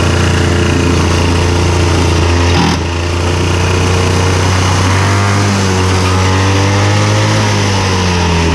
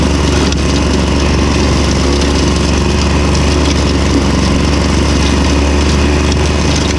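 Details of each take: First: Victa Super 24 / Super 600 70-series two-stroke mower after carb clean, filled with only about 500 ml fuel: steady running sags and wavers in pitch, then splutters and stalls; owner suspects fuel simply ran out. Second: Victa Super 24 / Super 600 70-series two-stroke mower, idle about 8 years, started cold after carb split and cleaning plus new fuel: loud, steady buzz without misses or stumbles; running evenly and healthy.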